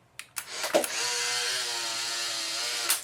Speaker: so that motor is very very slow at a very minimum that motor will need to be refurbished